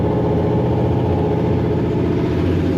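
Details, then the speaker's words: Wrecked 1969 Dodge Charger junkyard car, V8 revived at first fire: even, steady low rumble with a regular beat and no misses, ticks or knocks. Oil pressure and charging are working. Normal idle. "This thing is legit running."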